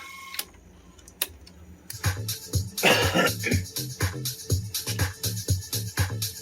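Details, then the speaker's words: Sony DTC-59ES DAT recorder playing a long-play house music tape recorded on another machine. Music cuts to near silence with stray clicks for about two seconds, then resumes. Dropouts worsen toward the tape's end and come from misaligned drum head azimuth. "The sound is awful. I'm gonna fast forward like 5 minutes. It's house dance music. And you can hear drops."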